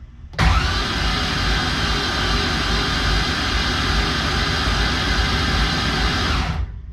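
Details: BMW E82 pro drift build before first start, all spark plugs removed, cranking on the starter: fast even whirring spin about six seconds, no firing, building about 43 psi oil pressure; normal cranking.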